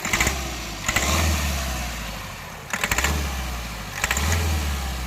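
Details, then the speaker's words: Diesel engine, blipped from idle: sharp tak-tak-tak knocks burst out on each sudden acceleration, then fade to idle; injector connectors unplugged one by one to diagnose; piston damage causing knock. "ये देखो knocking की sound करती है। जैसे ही एकदम से accelerate करो, टक टक टक की आवाज़ इसमें से आ रही है।"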